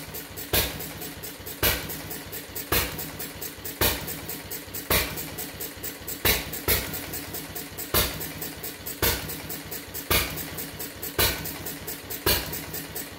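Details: Fuller and Johnson hit-and-miss engine on first run after cleanup, 6-volt battery and coil box, little choke: sharp firing bang about once a second with coasting ticks between; owner suspects burning too rich, plans checking mixer and RPM.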